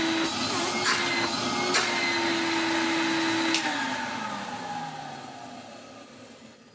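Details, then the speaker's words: 1993 Henry vacuum cleaner, pieced together from mixed parts, first power-up: even high whirring motor hum holding steady, then pitch sliding smoothly down as it spins down; motor healthy. "That is excellent news. The motor, at least, is good on this machine."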